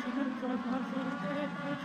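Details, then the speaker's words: Race car on track at Charlotte: engine note climbs and wavers, revving to the rev limiter without the car pulling, as the clutch slips and loses all drive. "um and here you can really hear the audio of the car starting to slip like there I have no"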